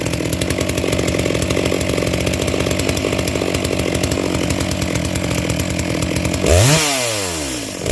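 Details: Brand-new NEOTEC NS892 (Stihl MS660 clone) chainsaw, first start out of the box, no adjustments, new chain: lumpy, burbling idle then two quick revs; carburetor slightly rich but close.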